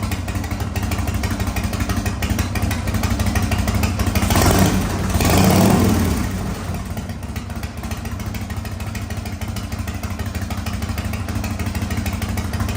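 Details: 1985 Harley-Davidson FXRS Evo V-twin, sat five years, new carburettor, oil-mixed fuel, smoking heavily: steady loping idle with one quick throttle blip midway; catches and holds idle without dying.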